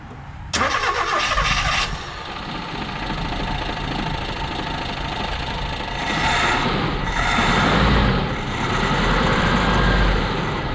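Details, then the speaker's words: 1987 Mazda B2200 carbureted truck, cold start on a frosty morning after choke plate adjustment; starter whirs, engine catches briefly and dies, then runs rough and uneven. Cold-start high idle suspected not engaging because the choke doesn't fully close. "yeah so maybe we still have a little problem with the cold start kind of did this for me yesterday I think what's happening is the uh the cold start like the high idle is not engaging"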